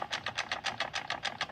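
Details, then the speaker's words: Clutch release bearing from an Audi A3 8L / Golf 4 group gearbox, suspected gearbox damage, turned by hand: rough gritty rasp pulsing about seven times a second with lots of loose play; release bearing worn out. "Also da ist auf jeden Fall das Ausrücklager schon kaputt gewesen. Macht auch ziemlich laute Geräusche, wenn man dran dreht."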